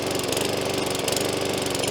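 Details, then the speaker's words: New box-store single-cylinder walk-behind lawnmower on first start-up, started first pull after priming: engine putters with slight rise and fall in speed instead of holding steady, hunting at idle when it shouldn't, untuned out of the box. "but the engine's actually hunting and it shouldn't be doing that. Now, if you weren't familiar with lawnmowers, you probably thought that's absolutely right and it's running correctly, but it's not."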